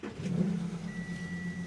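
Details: 2014 Audi Q7 3.0 L diesel that shakes, goes into limp mode and sets code P0263 with the check engine light on: lumpy, uneven idle just after start-up with a faint chime over it. Rough running; an exhaust leak is also suspected.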